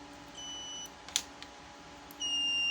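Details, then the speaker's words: Photocopier digital sensor tester with a good sensor: clear high steady beeps, last one loud and sustained, bright indicator light, unlike the dim, weak dying sensor; normal working response. "Nah, suaranya kencang, lampunya terang. Nah, gini. Nah, ini tandanya normal."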